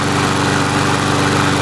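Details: Sears Craftsman mower with Briggs & Stratton engine, final test after service and auto-choke repair, just started with auto choke open: steady even small-engine drone, regular firing, no misses, surges or knocks; running normally, ready for client.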